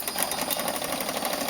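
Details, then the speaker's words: Front-wheel-drive Toro Recycler mower after drive bearing replacement, wheels rolling: quick, even light clicking from the one-way clutches with no popping or jamming, where worn bearings had caused pops and clunks before. "That clicking is from the one-way clutch, and that's the only sound you should hear. There's no more popping, no more jamming, so this mower is all good to go."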